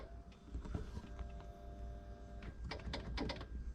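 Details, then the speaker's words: 2005 BMW E46 325Ci convertible after replacing the top latch motor's plastic gear: latch now works, but a steady electric hydraulic pump whine runs with no top movement; the pump is assumed not to make enough pressure, unconfirmed. "can hear the pump back there running but it's not doing anything else so assumption now is that the pump is not producing enough hydraulic pressure to open the top"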